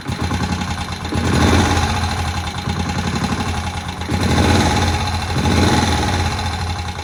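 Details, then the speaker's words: Old barn-find Moto Guzzi single first start after 40 years, head work done: steady even low thump about four beats a second, no misses or knocks, oil tight and pumping around; idling cleanly and healthily. "It really just does sit there very nicely, ticking over."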